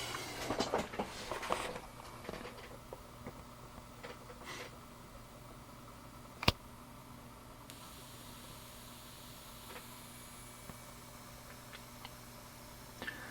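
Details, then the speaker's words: Pro audio amplifier that normally drives the horn tweeters, powered up on speakers: a steady high, airy hiss rises over a low hum and stays constant, an excessive noise floor in the chain, clearly audible even at half gain. "but I'm going to plug this in and as soon as it's initialized you'll probably be able to hear the hissing coming from the speakers"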